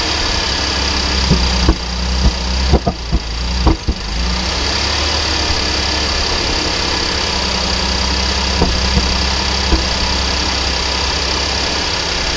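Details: 2010 Cadillac SRX, codes P0172/P0175, cold start: low idle hum with scattered sharp knocks. It began after the dealer replaced both catalytic converters, six injectors, plugs and gaskets; dealer blamed sticky valves, cleaning failed; later needed a high-pressure fuel pump.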